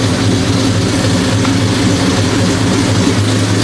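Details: 1973 Impala 406 small-block Chevy V8 with AFR aluminum heads and EFI, after replacing a collapsed lifter and fitting 2-piece guide plates, soon after startup; steady even idle rumble, no lifter tap or knock. Normal idle.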